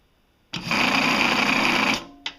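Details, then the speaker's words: Laporte Leroy Somer 120V cocking motor brake on a skeet/trap machine, during final adjustment after backing off another 1/8 turn; the motor spins up to a steady high whir with a rough scraping edge, the plate shifts, and there is little or no gap, so the brake is dragging. "you can kind of see the plate shift side to side a little bit. It's going to do that with the friction, but I don't think we're really getting a little bit of gap. And you hear a little bit of noise there, and that's fairly common."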